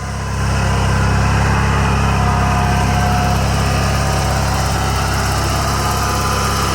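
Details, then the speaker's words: Toro 616Z zero-turn mower twin idling after the loose spark plug tip was tightened, which had made it sometimes run on one cylinder; steady, even putter at constant idle with no stumbling or misfire, runs like a dream. "Runs like a dream."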